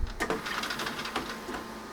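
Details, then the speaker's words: 1990s Revox C274 reel-to-reel deck, fast forward and rewind feel stiff: uneven mechanical clatter and scraping from the transport instead of a smooth wind; tape transport stuck and not spooling properly. "To be honest, it doesn't sound good. And it feels even worse."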